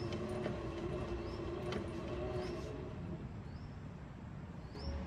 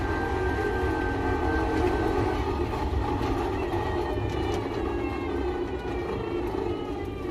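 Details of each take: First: Electric three-wheeler camper, rear wheel lifted, hill-climb gear engaged, phone held close: quiet steady motor whirr and low hum, no knocks, clicks or grinding; rear axle drive motor sounds normal; grinding noise from climbing mountains not reproduced. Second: Electric three-wheel camper van after climbing the Qinling mountains: a rough grinding drone with a thin whine that falls as speed drops, new since the climb; something rubbing, a worn bearing suspected but unconfirmed.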